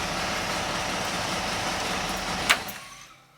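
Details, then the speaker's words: GM engine after fitting a Summit Hi-Torque SUM-829105 starter, whose cover had been rubbing; runs smooth and even with no rubbing or scraping before shutdown; rub fixed, normal running. "and now it's quiet I don't even know if you could have heard that before but it was making a rubbing"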